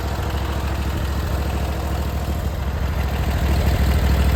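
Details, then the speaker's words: Briggs & Stratton Vanguard V-twin on a Vermeer SC 362 stump cutter, just after replacing bent push rods and adjusting valve lash: steady, even idle, smooth with minimal vibration, both cylinders pulling equally; sounds much better than before. "Sounds a lot better than what it did before. Very smooth, in a minimal vibration."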